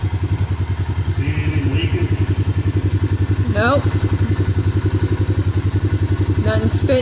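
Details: Suzuki Vinson 500 quad after the head and cylinder were machined, with a new head gasket and new oil: a steady, even idle thump with no misses or spitting, no leaks and no smoke. It is quieter than before, which was very noisy.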